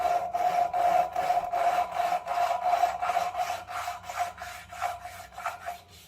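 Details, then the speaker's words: Toyota 1JZ-GTE rebuild, lapping a valve by hand with coarse grinding paste and a suction tool: gritty rhythmic rasping, two to three strokes a second, fading as the valve and seat mate until no grinding remains. "What you're gonna listen for is you'll hear a grinding. That grinding will slowly get quieter and quieter to the point where there isn't any grinding."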